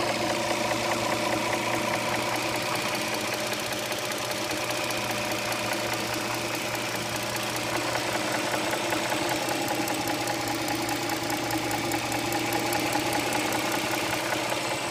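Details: 2007 Dodge Charger 3.5 V6 petrol at idle with a light, fairly quick ticking knock, about two or three a second; oil level correct; owner suspects lifters or rocker arms, unconfirmed.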